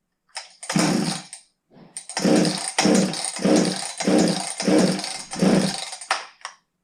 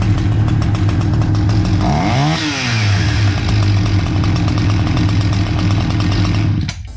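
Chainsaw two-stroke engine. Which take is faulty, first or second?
first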